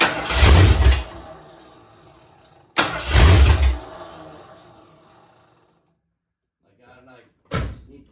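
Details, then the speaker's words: First start of a 347 stroker in a 1976 Mercury Monarch build, temporary distributor meant for an MSD box: the engine flares hard, then sags and fades twice in a few seconds; the owner reverses the two distributor trigger wires to fix the surging. "I'm going to try reversing those two wires on the distributor I reversed those wires let's see if that does any good"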